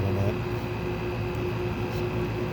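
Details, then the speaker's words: Window air conditioner, likely a GE 5050 BTU unit, running: steady droning hum with a constant mid-pitch whine; owner says the bearings are going, and the compressor is hard to hear over them. "and of course the bearings are going down"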